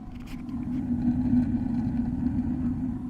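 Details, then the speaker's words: 2021 Keystone Alliance RV with a Suburban water heater, propane side after replacing the control board: steady low roar as the burner ignites and holds with no sputter or repeated clicking, normal propane ignition. "There we go, guys. That was pretty successful. The board is igniting. It is now on propane."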